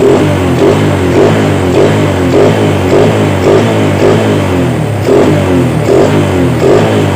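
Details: Yamaha Vega R single-cylinder after a carburetor service. A crisp beat with even, regular throttle blips and no knocks or misses: normal revving.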